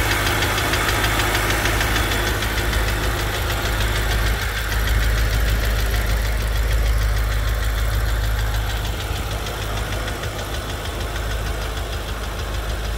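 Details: BMW M5 F10 with S63TU V8 petrol engine at idle: quick, fairly regular light ticking over a low rumble.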